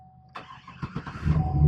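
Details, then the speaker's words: 2007 Chevy Silverado after ignition lock cylinder replacement and anti-theft reset (took three tries): key bumped to on, chime, short crank, engine catches within about a second to a steady idle; clean, normal start. "and then the truck starts right up."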